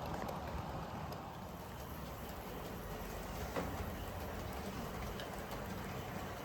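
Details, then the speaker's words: Dapol class 59 model locomotive hauling 13 Dapol JHA wagons up a helix at about one-third power: rough, uneven whirring rattle under the pull; drivetrain quite noisy under load but coping well. "This is 13 wagons at around about 1/3 speed, so 1/3 of its power. As you can certainly hear, it's quite noisy. However, coping very well."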